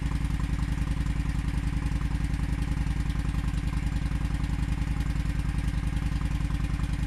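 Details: Honda Shadow V-twin idling after refitting stock exhaust sealed with high-heat gasket maker to cure an exhaust leak and backfiring: steady loping thump around 160 a minute, no pops, bangs or exhaust ticking; normal idle.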